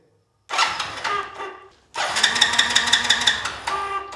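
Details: Motorcycle that has sat for years, in neutral with ignition on and spark confirmed: two bursts of fast, even starter cranking at about three beats a second that never fire.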